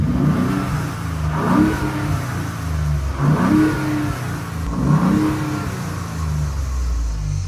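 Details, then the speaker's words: 2019 Ford Raptor after installing blow-off valve and cold air intake, three quick throttle blips swelling and falling back to a deep idle, clean and even with no knocks; owner hears a difference; normal revving. "I definitely can tell a difference, but I'm going to drive it a little bit and see if I can see any more of a difference."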